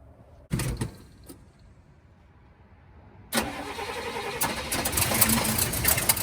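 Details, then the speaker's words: 1971 Cadillac Coupe DeVille V8 that sat 15 years in a backyard, now starting and idling on its own without added fuel: brief crank, then harsh, clattery, uneven idle with horrible noises, source not yet known. "so i'm really excited that the car started and idle it is making some horrible noises i don't know where they're coming from"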